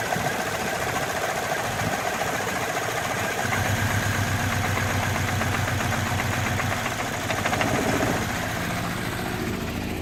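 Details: 2007 Saab 9-3 2.0T (B207R engine) idling unevenly, its low hum swelling and sagging with an irregular pulse; rough idle now on every start despite redone turbo vacuum hoses, new plugs and battery, and cleaned solenoids, EVAP valve and MAF.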